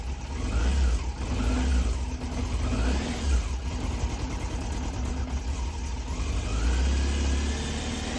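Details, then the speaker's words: Cold, original matching-numbers Yamaha Fazer 600 inline-four revving and idling: faint light ticking over the deep engine note, a top-end noise the owner suspects is a minor timing (distribution) issue, unconfirmed; blue smoke when hot is the bigger worry. "Le cliquetis, bon, si c'est qu'un petit problème de distrib, c'est pas dérangeant."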